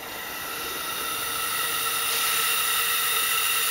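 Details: Factory plastic Mitsubishi Evo 8 diverter valve on a bench rig at room temperature, low-flow compressor, about 21 psi boost: steady hiss with thin whistling building over seconds; leaks from about 2 psi, cannot hold above roughly 20-21 psi.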